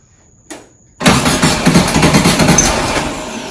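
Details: 1967 VW Karmann Ghia, sitting unregistered since 1975, with a newly fitted starter: a brief click, then the engine catches at once and settles into a steady, busy air-cooled idle; it cranks and starts cleanly.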